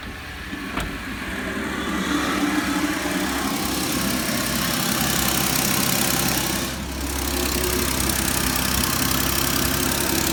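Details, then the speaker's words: 2012 Ford F-150 XLT 3.5L twin-turbo EcoBoost, before repair: steady idle with fast light ticking about four per second; owner reports bad knocking from passenger side on startup and chirping on acceleration, identified as exhaust manifold gasket leak. "one thing that I noticed is it had like a a chirping sound upon acceleration and a real bad knocking sound out of the passenger side on Startup"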